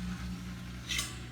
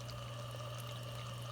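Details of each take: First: Frigidaire Gallery dishwasher in rinse mode with its supply hose disconnected into a pan. The motor hums and runs but no water fills. Cause: the overfill float rod was blocked from its switch by a foam noise barrier installed backwards. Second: Frigidaire Gallery dishwasher after the high-level overfill float rod and plunger were freed from the backwards-installed foam barrier. A steady low hum with water trickling into the tub and a couple of light knocks. Now filling normally.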